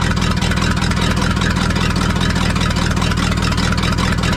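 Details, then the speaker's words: 1974 Ford F-750 dump truck, sat 4-5 years, rebuilt carburetor, spark confirmed at coil: slow, steady starter churn about two and a half beats a second going on and on before the engine finally catches. "Yeah, it sounded like it almost fired, so let's keep on cranking."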